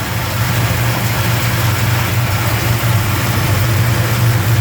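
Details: 1971 Plymouth Roadrunner V code (440 six-pack), N96 Air Grabber, cold start after sitting in a 55–60°F showroom: smooth even low V8 rumble at steady cold idle, no pinging or knocking. Normal cold idle.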